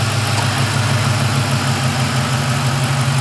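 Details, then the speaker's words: 2007 Ford F-150 Lariat 5.4L Triton V8, hood open, with a suspected VCT cam phaser rattle at 800–1,200 rpm: the computer-held high idle at 800 rpm right after start is steady and even, with no rattle. "let's do it let it do the high idle at 800 rpm again on its own [Music] no rattle"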